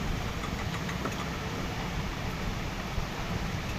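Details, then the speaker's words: Maruti Suzuki WagonR CNG car after CNG pressure regulator filter service; engine previously shook and misfired and would not convert to CNG, now converts: low, smooth, even idle with steady rhythm and no stumbles or misses; normal idle. "पहले engine बहुत हिल रहा था missing हो रहा था अभी देखि perfect है"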